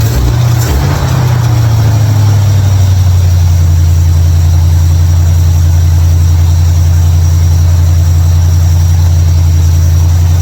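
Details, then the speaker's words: 1955 Chevrolet Bel Air after fixing ignition, electrical and fuel issues with a bypass switch and carburetor tuning: catches within a second, then a deep, steady, even idle with no stumbles or knocks; normal start and idle. "I'm happy finally got the car running uh ran a switch had to do a little bit of carburetor tuning and it worked out"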